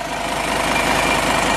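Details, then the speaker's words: VW Touareg V10 TDI idling, heard at one side of the engine (other side fine): steady airy hiss over the diesel idle, also heard when revved; owner suspects a possible boost leak. "Around this side of the engine. This side's completely fine, so there seems to be a bit of a hiss around there."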